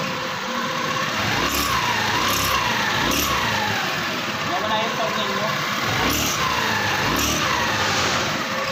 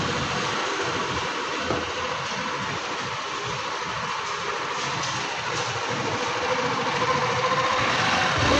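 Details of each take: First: Scooter CVT before repair: engine running with short rising squeaks every second or so, like a mouse, from glazed clutch bell and hard linings on take-up; the bell is then roughened with 60-grit sandpaper. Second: Scooter CVT after repair, cover back on: steady, even idle with light whirr and no rattle or scrape from the belt side; the earlier mouse-like squeak is gone.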